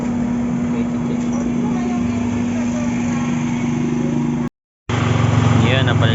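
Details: Yamaha Mio Sporty scooter engine after fixing a no-start caused by a loose wiring connection to the CDI; steady even idle, no stumbling or misfire, running cleanly.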